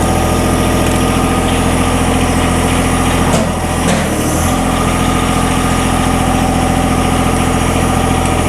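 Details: John Deere 1023E sub-compact diesel tractor that stalls only in cold weather, after air bled from the lines: steady, even idle of about three and a half beats per second, no misses or hunting, in winter cold.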